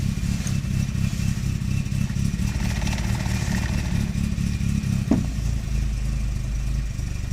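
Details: Nissan Primera P10 1.6 carburettor engine after gasket replacement, cold start with throttle held: lumpy, uneven, hunting idle with loose clatter and light blue smoke; a damaged carburettor valve stays shut, giving a rich mixture when cold, fine when warm.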